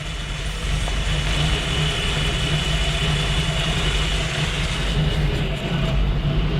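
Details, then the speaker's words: 1974 Jeep CJ-5 232 engine that had been stumbling, warm idle after ignition timing set to about 20 degrees with vacuum advance reconnected: low, steady, even idle with no misses. Normal idle after timing adjustment. "yeah now she sounds pretty good hook that back up yeah you can see the Mac it's probably 20 degrees idling so she's good"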